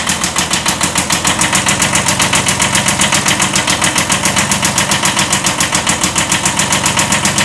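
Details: 1979 Kubota B7100 diesel tractor with old D750 engine at idle: sharp, even knock about four times a second over the clatter, a slight rod knock from a worn rod bearing; engine replaced by a D950.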